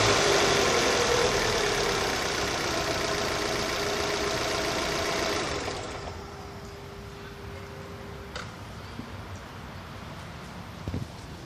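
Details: Opel Z18XER engine running: a steady light tick, about four per second, over a hiss before the revs drop. The source is undiagnosed and it is unclear whether it is normal.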